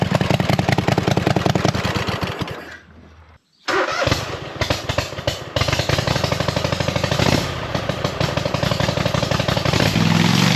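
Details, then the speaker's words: Hustler zero-turn mower with swapped V-twin engine, new carburetor, no exhaust yet: loud throaty open-pipe beat, drops out briefly then picks back up; engine running normally with open exhaust. "No. She runs. Holy smokes."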